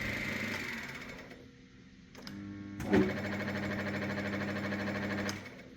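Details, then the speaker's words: 1997 Myford VM-F milling machine spindle switched to speed two, belt setting unknown: motor winds up to a steady higher hum, hiccups once briefly, then settles to an even run; momentary stumble, cause unknown. "So, um, yeah, that did stumble there for a second for some reason. Anyway, um, so that is essentially it working."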